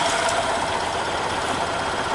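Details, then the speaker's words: EZGO Workhorse golf cart Robin ST350 single-cylinder engine after carburetor clean and starter change, cold start: steady, even buzz with no misses or knocks; runs smoothly, normal running. "well that that's a nice running Little Engine"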